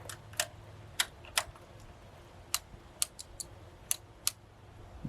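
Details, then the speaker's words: Old Suzuki Burgman scooter after reassembly, key turned on: scattered light clicks, about ten in five seconds, with no fuel pump hum following; pump not priming, owner suspects the rear fuel pump needs removal. "I did hear it clicking, but I don't hear the fuel pump coming on."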